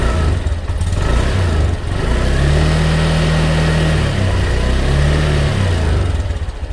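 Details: Honda Beat 2020 scooter revved on the stand after the engine oil, found empty, was changed and the CVT was serviced: the note climbs and falls smoothly with no grinding or rattle. Drive normal.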